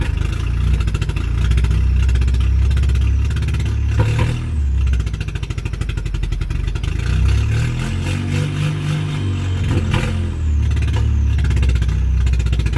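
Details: Car engine after Sea Foam, very slow lumpy chug around 500 rpm with dropouts, running like one cylinder, hit-and-miss drum beat; misfire from fouled spark plugs.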